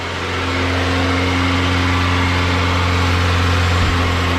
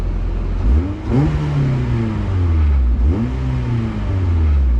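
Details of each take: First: First start of a Honda B16 swap with no coolant yet and the engine cold: a steady, even idle hum sits noticeably above normal idle speed because the empty cooling system keeps the engine idling high. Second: Honda B16-swapped car idling after the coolant is bled, with the heater hot, no leaks and the exhaust leak now fixed, heard from inside the car: three clean revs climb smoothly and settle back to a steady idle with no rattles or misses.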